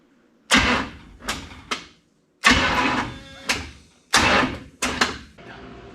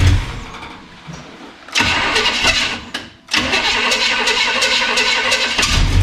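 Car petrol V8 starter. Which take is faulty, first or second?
first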